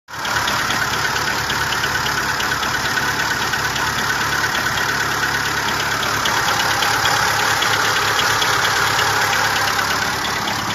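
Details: Seat Ibiza 6L engine at idle: steady idle with a busy, rattly clatter riding on top in an even rhythm. Abnormal engine noise, source not identified.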